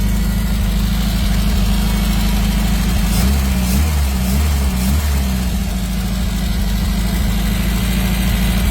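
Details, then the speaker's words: Donor 850 engine just installed in car, first run before warm-up and timing set: steady idle with light, quick ticking about three per second, a slightly tappy valve; otherwise sounds alright. "We've got a slightly tappy valve by the sounds of it. Apart from that, sounds alright."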